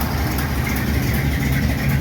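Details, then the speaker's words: '51 Chevy project V8 in about -27° cold, after fixing lifter noise (worn rocker lock nuts, pushrods/rockers): lumpy choppy big-cam idle with deep exhaust rumble, no valvetrain ticking; problem solved, runs healthy and cool. "okay the Chug the Chug the Chug the CH way way better man sounds pretty freaking good and we'll check out the exhaust here"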